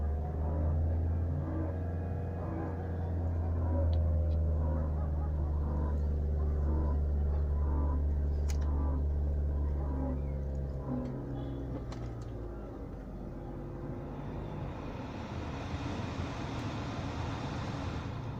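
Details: BMW E90 316i, 1.6L N45B16 petrol engine at idle: deep pulsing grinding drone, beating about three to four times a second, that disappears when the AC is switched on and returns when the AC is off; cause unknown.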